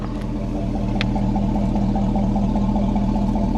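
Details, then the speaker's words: Cheap Cadillac Escalade V8 after same-day repair before a 700-mile drive: smooth, even idle with a steady low hum and no knocks, ticks or misses; engine purring healthily. "This is a beautiful truck. And listen to this. Listen to this engine. Listen to her purr,"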